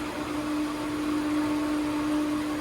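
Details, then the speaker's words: Pool filter pump turned on after main filter change and lid reseated, steady even low hum at one pitch with no knocks or rattles; pump running normally through its timed filter cycle. "And that'll go through a normal cycle. Of course, it's on a timer, so every day it'll go on and run some filter time, but you can override it by turning it on"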